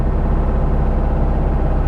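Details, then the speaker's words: Porsche 912 bought at blind auction, first drive, carbureted: fast even hum idling at about 2,000–2,500 rpm while stationary; idle too high, owner suspects a sticking throttle cable or carb mixture, unconfirmed. "but the revving it's still at two and a half thousand two hundred thousand revs while it's idling now that could just be the cable stuck somewhere"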